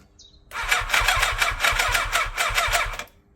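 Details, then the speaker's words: 1987 Yamaha FZR1000 abandoned for 16 years, refurbished carburettors, fresh oil and plugs, cranking on a jump box: starter churns steadily but the engine won't catch; the choke cable isn't attached. Cranks, no start. "Oh, choke. I haven't attached the choke."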